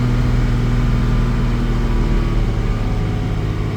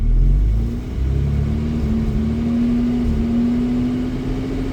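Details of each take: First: 1987 Jaguar XJ-S 3.6 manual with a misfiring problem, after a 1-hour test drive: steady, even drone at about 3000 rpm with no stumbles or gaps; trouble is only below 2k. Normal running at 3000 rpm. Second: 1987 Jaguar XJ-S 3.6 manual after about a 1-hour test drive: slowly raising revs from 1000 to 2000 rpm it stumbles and misfires, hesitating under load; occasional misfire above 2000, fine at 3000.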